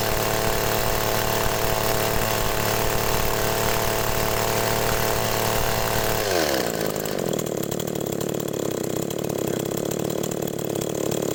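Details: Agricultural sprayer engine with a hard cold-start complaint, running after a new spark plug was fitted: a steady buzzing rev drops smoothly to an even idle with no misses or stumbles.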